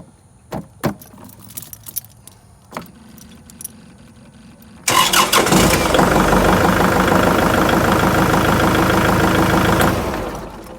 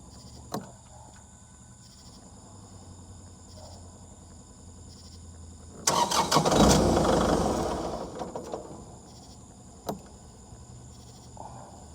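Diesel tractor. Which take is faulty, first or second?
second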